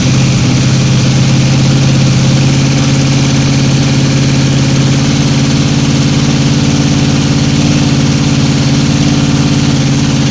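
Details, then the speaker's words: 1955 Chevy 210 Delray with a 265 V8: a smooth, even V8 idle with a steady deep hum and no knocks or misses, though a tiny lifter noise was noted. Normal idle. "Said idle. >> Sounds pretty good. >> Sounds pretty damn good to me."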